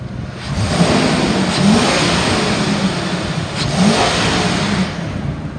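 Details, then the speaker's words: 2002 Ford F-550 XL with 6.8-litre V10 gas engine, 4,900 original miles, run almost an hour without overheating: strong even rev climbing and falling cleanly, no knocks, misses or rattles; normal engine revving. "the motor sounds good i'm gonna rev it up so you can hear it i've had it running for almost an hour it has not overheated"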